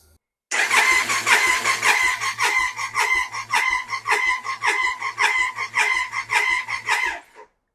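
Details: Triumph Sprint 955 (1000cc), revived after years off the road, fuel tank and coils off for compression test: starter cranks in uneven pulses with weak compression beats; cylinders 1 and 2 read about 50 psi vs 160, valves held open by the shims.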